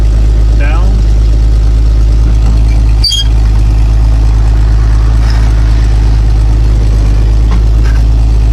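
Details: 1980 Jeep Cherokee Chief plow truck, AMC 258 straight-six with BBD carburetor, just after a cold start: low, even idle with a steady rumble and no knocks or misses; normal idle.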